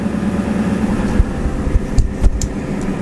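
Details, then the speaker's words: Ford Powerstroke diesel with XDP starter and Odyssey batteries, cold start around 12°F, e-brake on raising idle to perhaps 1700–2000 rpm: busy, steady diesel rumble with light handling knocks; alternator charging at about 14.3 volts, normal fast idle. "but with the e-brake on it's also going to idle up so instead of being at 12 volts now what you're hearing is it idling up we're at 12 14 3."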